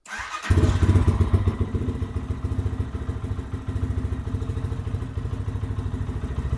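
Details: 2023 Lifan KPM 200cc single after valve adjustment, started with refilled fuel line; settles into even, steady thump at fast idle with no knocks, misses or fuel/oil leaks; normal running.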